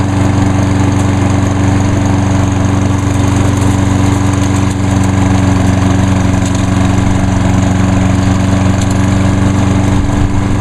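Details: 2011 Lawn-Boy 10606 self-propelled electric-start mower, started after sitting over winter with battery left in: steady, even single-cylinder drone with no misses or knocks; normal running.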